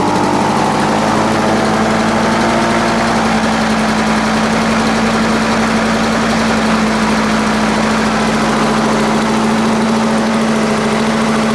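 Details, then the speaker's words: Lawn Boy 4651 two-stroke mower, very smoky, possibly from too much oil, holds a low steady drone below 3,300 rpm; owner plans to clean the carburettor. "just sound like it's running a little bit slow as well he did say that he was running slow but I wouldn't say that was 3,300 rpm"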